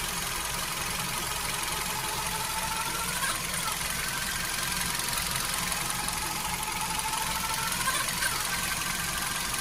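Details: Hyundai HB20 petrol engine idling: steady hiss with loose uneven ticking on top; owner unsure of source, suspects timing belt, power steering fluid or a bearing.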